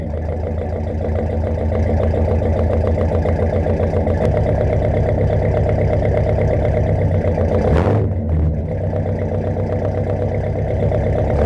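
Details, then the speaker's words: 1969 Mercury Monterey 390 V8 just after first start in 16 years, idling on its own: steady smooth low rumble, no misses, knocks or hunting; needs tune-up. "she's idling on her own now too definitely needs a tune-up"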